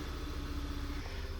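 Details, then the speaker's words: VW Tiguan that ran on 3 cylinders, after moving the known bad ignition coil to cylinder 2 and fitting a good one: short even low idle with no stumble; normal idle on all cylinders. "Oh, look at that. Now it runs good."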